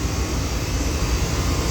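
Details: Air conditioning unit after compressor had sounded rough like sneakers in a dryer, charge evacuated and refilled with new R-22: even steady whoosh from fan and compressor, no rattle or knocking; supply temperature dropping. Normal running.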